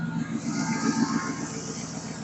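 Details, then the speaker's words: 2007 Chevy Silverado V8 after stainless steel exhaust manifold install, one broken bolt still in place: steady, even idle with smooth low burble and no ticking or puffing; earlier exhaust leak now barely audible, normal idle. "Um, like I said, I had an exhaust leak and you really can't hear much of it anymore. I'll go ahead and start it up."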